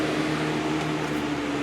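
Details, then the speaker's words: New Lasko CoolColors box fan on medium: steady rush of air with low even motor hum, no ticking or rubbing. "that's low and as you can hear knock on wood it's just wind noise"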